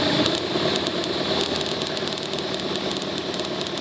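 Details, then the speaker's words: Aircraft magneto for a Stinson L-1, taken untested and not rebuilt from storage, spun on a bench motor at idle speed: crisp, steady spark snaps over the motor whir; it fires cleanly, unlike the suspect magneto's weak spark. "This is a magneto that we pulled out of our storage, one of our storage bays. Untested, well, it's tested now. No guarantee, certainly not been rebuilt. We fire this one up."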